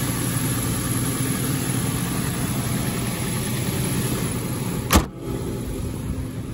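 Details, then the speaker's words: 2010 Nissan Xterra RWD idling while warming up, no warning lights on: smooth, even idle with a steady low rumble, no ticking or belt squeal under the hood; engine running healthy. "engine seems to be running well no no weird ticks or a belt squeaking or anything like that"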